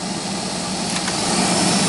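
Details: GAZelle heater blower motor, removed and run on the bench through speeds 1–3. A steady airy whir with a loud low droning hum; worn bushings are suspected, and the motor will be disassembled and lubricated.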